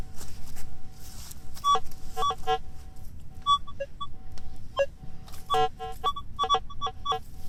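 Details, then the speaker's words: Minelab CTX 3030 at manual sensitivity 22 with a fairly open pattern gives choppy, irregular mid-pitched beeps with dropouts over a non-silver coin about 6 to 6.5 inches deep: a weak, broken target tone. "It doesn't sound very good, does it?"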